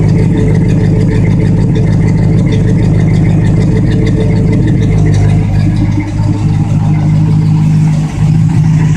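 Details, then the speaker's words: 1965 Plymouth Fury Sport V8, freshly restored, new Flowmaster exhaust with pipes turned down: deep, even exhaust burble, steady idle and smooth light revs, no misses or knocks; runs smooth, normal running. "runs smooth."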